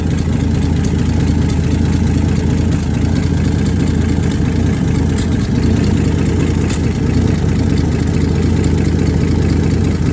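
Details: 1966 Dodge Dart GT, 225 Slant Six inline six, steady low idle with a faint fast puffing tick; exhaust leak believed between exhaust and intake manifolds, EGR leak doubted, new part on order.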